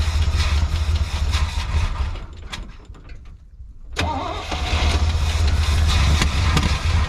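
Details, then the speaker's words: Squarebody C20 truck V8 after sitting for years; fires with a low rumble, then sags and nearly dies before catching. Stalling after start; owner suspects fuel in the tank is too low to reach the pickup tube. "i think it's a little low so it's not actually getting fuel to the pickup tube so let's see if we can fix that"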